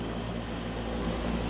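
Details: Frozen-up air conditioner with low gas pressure: steady, rough hum with hollow low drone, running noisily; low refrigerant charge, to be defrosted, vacuumed and recharged.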